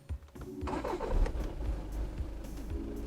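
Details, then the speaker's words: Volkswagen Golf 7 2.0 TDI DSG diesel, after glow-plug initialization: a short burst of cranking, then catches almost at once and settles into a steady low idle; starts easily. "Я ще раз його запущу і ви послухайте може як він працює і так зараз спробуємо запустити Ось він ключ включаємо запалення бачимо зараз ініціалізація свіч накалу сталася і пробуємо запускати"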